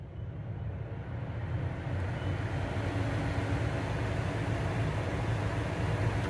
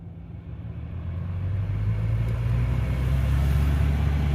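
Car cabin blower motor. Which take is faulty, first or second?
second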